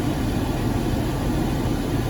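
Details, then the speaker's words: 2011 Jeep Grand Cherokee cabin blower after a blocked cabin filter was replaced; heard inside the vehicle, steady even air rush without rattle or strain, much quieter, airflow no longer restricted. "you can tell it's much, much quieter inside the vehicle."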